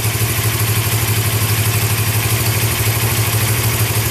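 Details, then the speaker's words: Suzuki GS500 twin with a new engine built from four engines after a balancer bearing failure, first start: steady, even idle about three beats a second, a little high, no knocks or rattles, earlier bearing noise gone; normal idle. "right on a little high sounds good yeah it really does sound good yeah none of a cam noise was there before"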